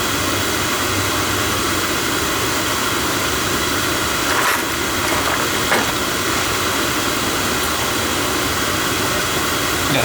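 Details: Oil burner after refilling tank: steady even roar with no sputter or surging; good oil flow now, flame holding well.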